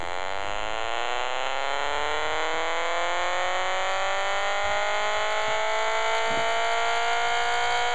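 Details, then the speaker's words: Homemade pulse motor with a new rotor built for better shaft centering and balance, battery-driven, heard through a radio: clean, even whine climbing steadily as the rotor winds up to high speed, no wobble or scraping. Normal spin-up. "what I'm going to do here is I'm going to fire this one up and show you how great that little rotor is working"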